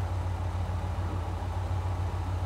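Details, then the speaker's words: 37-year-old Ford Bronco with new replacement TFI-IV ignition module: steady low rumble, even unbroken firing beat, no misses or stumbles; smooth idle, scope shows flat stable current limiting control. "pretty nice current limiting control there don't have that crazy it's it's got a really nice control circuit see that's just pretty much flat stable"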